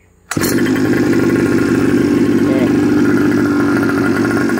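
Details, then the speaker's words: Custom Goped small engine started with key on and GPS meter powered; catches at once and settles into a steady, even buzzing idle with no misses; normal idle. "So kalau kita nak start engine, on kunci, hidupkan meter, baru start. Okay. Okay, engine dah hidup."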